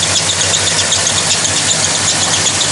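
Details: 1998 Dodge Ram 2500 with a suspected 360 small block V8, an oil burner with headers, running after the firing order and vacuum leaks were fixed. A bright, high-pitched chirping squeal over a steady idle: a slipping accessory belt, minor.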